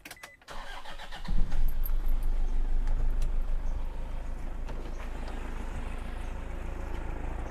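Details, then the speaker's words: 2005 Toyota Innova G manual, 2KD diesel, odometer in the 300-thousands km, engine previously very bad and restored: cranks, catches and settles to a smooth even idle with no clatter; normal idle. "Sekarang dengerin nih teman-teman, suaranya udah halus. Coba tuas olinya kita tarik nih, tanpa ngobo sama sekali."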